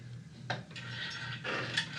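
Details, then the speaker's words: Yard Machines 8 hp Tecumseh 26-inch snowblower engine turned slowly by hand with pliers: scattered scraping knocks and sharp bangs as something inside sticks; suspected to need lubrication, possibly the pull-starter cover or lower down, cause unclear. "something something's banging so could be something sticky and it needs lubrication and it's hanging up"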